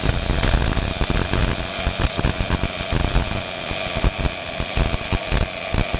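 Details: Miller-Matic 251 MIG welder at 21 volts, 366 wire speed, welding pipe fittings: steady crackling sizzle with fast irregular pops, no long breaks; normal well-set arc.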